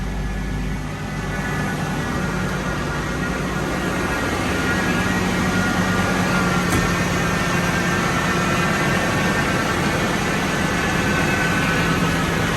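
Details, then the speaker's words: Totaled 2006 Ford F-350 V10, about 5,800 original miles, just after first start following rebuild: steady smooth hum, even low drone, slightly high idle, no ticking or knocking, oil pressure and coolant temperature fine; normal idle. "Dang. That's pretty awesome. Water's still fine. I just don't want that tight yet. It's quiet."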